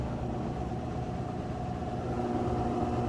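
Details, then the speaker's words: Maytag top-load washer on its final spin cycle, faster than the rinse spin: even, steady hum with a faint constant whine, no banging or knocking; normal spin. "So the next thing we'll show is the final spin cycle, which will actually spin quite a bit faster than this. Alright, final spin cycle."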